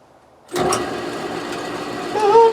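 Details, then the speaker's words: Lathe spindle running after motor work: it starts cleanly and spins up to a steady light whirr with a small rise near the end. It still sounds slightly slow, possibly tight or cold, but it works. "let us make chips it still sounds a little on the slow side but it's working"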